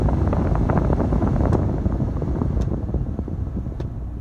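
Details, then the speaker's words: Foton Tunland 4x4 double cab, 2.8 Cummins ISF diesel idling, cabin blower running with aircon off: steady low whoosh, even, no rattle or squeal; normal blower fan operation. "Let me just blow the normal fan. It can now. I'm not sure if you can hear the huffing sound."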